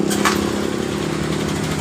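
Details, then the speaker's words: Honda Beat Pop scooter, owner already replaced injector: low, uneven idle dipping and wavering, nearly stalling, stalls when throttle opened, loss of power; fuel pump pressure to be checked; rough unstable idle. "fokus dengan suara mesin dan langsam ini dalam keadaan tidak normal dan pemiliknya sudah mengganti di bagian injektornya masih dalam keadaan langsung tidak stabil"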